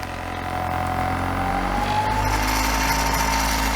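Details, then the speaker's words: Formosa 41 sailboat diesel being throttled up while moving about 2.4 knots in a shallow channel with a strong tidal current. Loud steady thrum with a harsh rattling buzz and a faint rising whistle; the owner doesn't like the sound, and the source is unclear. "I don't like the sound of that."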